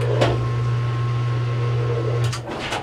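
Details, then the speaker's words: Whirlpool LSN1000PQ2 top-load direct-drive washer after drive coupling replacement: strong, steady low hum for a few seconds then winding down, no grinding or knocking; now spins normally. "the unit is now spinning now the unit's back working"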